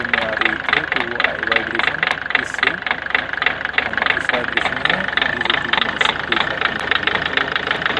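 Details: Ford Figo 1.4 TDCi diesel with engine noise and vibration: uneven sharp tapping, roughly three to four per second, over the idle; faulty injector knock, fixed by injector replacement.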